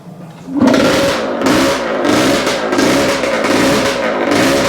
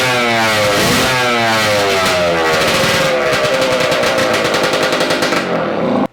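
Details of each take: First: Yamaha AT-2 MX 125 two-stroke that won't rev past 2000 rpm and runs a little rich. After rewiring, blips rise and fall back raggedly with misfire. Better but still not right; ignition suspected. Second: Yamaha AT-2 MX 125 two-stroke crackles crisply and revs freely, maybe a little rich, before its ignition trouble of not revving past 2000 rpm is investigated; normal running.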